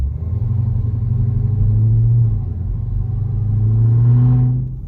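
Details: Dodge Hellcat on a short stop-and-go loop after an exhaust rattle fix and removal of lowering springs, not fully warmed up: deep, smooth rumble rising and falling through two gentle pulls with no rattle or buzz. Runs clean, no check engine light.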